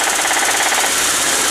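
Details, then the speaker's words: Junkyard "core" engine sold with 90-day warranty: loud, fast, hard piston knock/clatter while running; suspected busted piston or bad wrist pin; cylinder overheated and squeezed, standard piston. "okay now here so you see that gap I'm showing you all right here's our piston knock if you listen carefully what that is is that's a standard piston in the ten thousands over home this thing has been so hot that the cylinder is what call have been squeezed"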